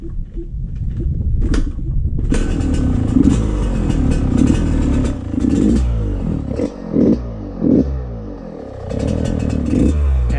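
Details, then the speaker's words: Yamaha YZ125 two-stroke started cold without choke, running uneven and blubbery, sputtering on blips; sounds very rich, possibly fouled plug; sputtering, smoking and dripping oil from the silencer, later traced to a leaking carburetor. "that sounds really rich already. And it's starting to rain. Wow. Sounds like the plug is fouled already."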